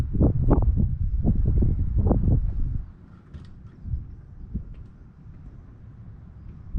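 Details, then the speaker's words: White GMC truck with tag axle: about three seconds of uneven cranking, then silence without catching. Hard starting; owner expects to need more ether because it doesn't want to crank over. "i'm sure i'll probably have to shoot some more ether in it to get it started because it just doesn't want to crank over"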